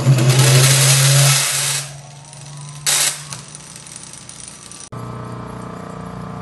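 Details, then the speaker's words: Rare Emerson Electric series-start induction-run motor, circa 1900, armature fault patched with insulating varnish, running under its own power. Steady, quiet low hum with a faint rattle of brushes floating free in their holders in run mode; runs normally. "so you can see it actually runs pretty quiet once it's running um you can can hear a small amount of the brushes rattling around in their holders there"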